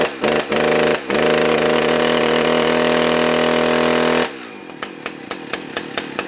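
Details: Husqvarna 357XP two-stroke chainsaw test-run after fuel filter cleaning, chain brake on; screams steadily at high revs then falls to a few slow, uneven pops off throttle; will not idle.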